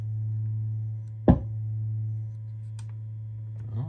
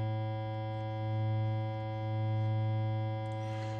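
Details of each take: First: Krank Nineteen 80 Jr 20 W tube guitar amp on the bench, fed a sine test tone through the input: steady low tone broken by one sharp pop about a second in, caused by an input jack that wasn't fully seated. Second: Krank Nineteen 80 Jr 20 W tube amp on the bench at 120 V, fed a 100 Hz triangle wave: a steady buzzy low tone whose bottom end swells and eases as the bass control turns, clean with no crackle.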